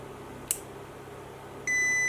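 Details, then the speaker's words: Hybrid inverter power-up after replacing the degraded original power-supply transistor with an identical new one, PWM controller at 17.3 V: short click then steady high-pitched continuous beep, error 01 because cooling fans aren't connected. "Є помилка 0,1. Ну, це від того, що не під'єднані вентилятори."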